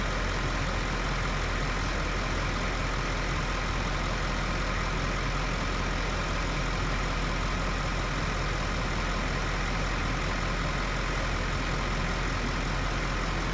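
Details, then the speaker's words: Duramax LML diesel with newly built engine (forged crank, Molly pistons, aftermarket harmonic balancer), first start after installation, idling: even, smooth low rumble with no knocks or misses, no leaks seen; sounds healthy. "seems okay I don't see any leaks or anything"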